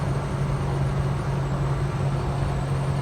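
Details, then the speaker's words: Holden HK at 60–65 mph, owner having re-adjusted ignition timing and running warm (idle up at 1000 rpm): steady even low engine drone over road noise, no metallic ping; no detonation under load, though pickup is weak. "oh all right we're at 60 65 mph no pingy I've got no opinions no majorly awesome pickup but no pinging"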